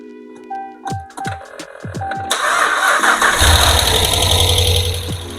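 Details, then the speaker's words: Ram truck Hemi V8 first start right after an engine install, microphone set on the battery: several cranking pulses, then it catches and races with a light busy lifter ticking until oil pressure builds and bleeds off, normal and expected to quiet in minutes. "Oh, yeah. You hear those lifters? That's normally what you'll hear when you'll start up a Hemi, uh, when you first do an install."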